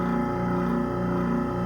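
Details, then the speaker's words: Sink garbage disposal after repair for buzzing but not spinning, reinstalled and run with water: steady even hum, no rattle, grinding or pitch change; spinning freely, normal running. "Okay, turn on the water first, and man, that sounds so good right there. Yeah, turn the water off, and sounds so good right there."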